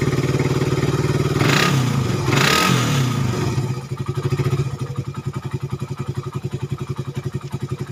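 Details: Suzuki Satria FU 150 cc after correcting a cam chain replacement with wrongly set timing (top): two clean throttle blips, then even idle about four beats a second, no misfire; before repair idle was erratic, rough, weak, fuel-thirsty.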